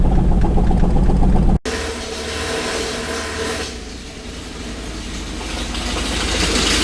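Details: Toyota engine that won't stay running or idle: heavy regular knock about four beats a second under a rough idle; owner suspects a rod knock, plans to check under the oil pan.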